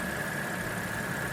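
Steady, even idle with a smooth low hum and a faint constant high whine from the blower; runs clean and healthy.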